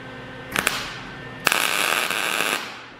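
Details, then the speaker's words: MIG tack welding welding-cart frame corners: irregular sharp crackling pops instead of steady sizzle; voltage set too low, wire speed thought fine, so voltage increased. "Okay, so all you guys heard that. It's not exactly perfectly set, so we're going to increase our voltage a little bit."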